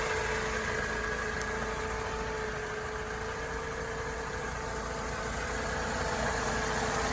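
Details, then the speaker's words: 2004 Mercedes SLK 230 automatic, 55,000 miles, warm idle with the bonnet open: smooth, even hum with no knocks, ticks or rough patches; normal idle. "And now you can hear it running. I'm sure you can appreciate there are no grumbles or anything like that."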